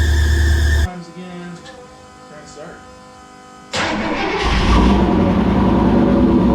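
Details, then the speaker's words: Rambler V8 with Holley Sniper EFI after 3 years, restart after loose ground, heavy voltage drop while cranking: cranks, catches, runs loud and rough with harsh high-pitched squeal; belt slipping on painted pulley. "Alright, so I have a pulley that's very loud. I apologize for that. It doesn't like my painted pulley in belt."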